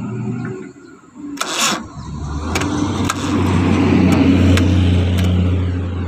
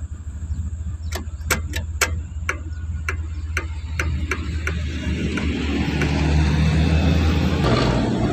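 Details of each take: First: Suzuki Carry cranking slowly and heavily without catching despite a good battery and a freshly serviced starter motor; the suspected cause is the engine ground cable under the engine, rusty and high-resistance. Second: Suzuki Carry with hard, heavy starting despite a good battery and a serviced starter motor; the rusted ground cable was cleaned and moved next to the starter. Afterwards the starter cranks briskly at about four beats per second, then it catches and runs steadily; normal cranking and start.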